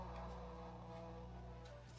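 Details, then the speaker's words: Seeburg Model 220 jukebox after restoration and recapping: only thin, very quiet music coming off the needle itself, with no output from the amplifier; a mute circuit from the Tormat selector unit not unmuting the amp is suspected. "we thought we were hearing light music but it turned out it was just coming right off the head of the record so off the needles"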